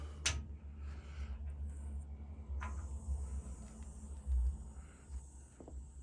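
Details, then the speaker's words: Bleeding an old-style upstairs household radiator through its square release valve. Trapped air hisses out of the bleed valve in a thin, steady high hiss until water follows. "now this is imperative ears you have to listen if it's in the air you will hear it hissing out"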